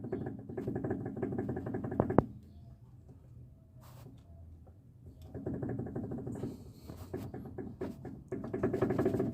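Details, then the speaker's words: 2013/14 Fiat Palio: bursts of quick, light clicking as a worn stabilizer (sway bar) link with play is rocked up and down by hand; fix is replacing both links, which does not affect alignment. "faz muito barulho Pessoal esse aqui tá então para corrigir essa barulheira toda que tá nesse carrro aqui ó botar trocando as duas bieletas"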